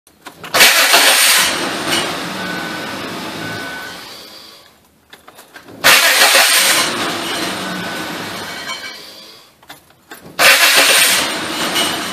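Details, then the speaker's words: 2004 Ford Taurus 3.0 Duratec DOHC: three crank attempts, each a harsh raspy whirring burst fading over about four seconds; starter fitted two years ago never sounded right, owner fears broken flywheel. Abnormal starter cranking noise. "I could have swore I just worked out one of these starter it sounds like the flywheels broke I'm hoping it's not I put a starter in this about two years ago and never sounded right"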